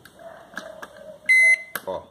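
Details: Electrolux 32-litre microwave after its board's voltage relay and capacitor were replaced: a few soft clicks, one clean quarter-second beep and the relay clunk; starting up normally.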